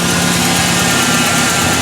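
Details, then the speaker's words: 2002 GMC Sonoma 2.2 with codes P0300 and P0172 and check engine light on: steady idle with an uneven, stumbling beat and occasional dropped pulses, an engine misfire at idle; cause not yet confirmed. "today I have this Sonoma 2002 GMC Sonoma, and you hear the engine is misfiring."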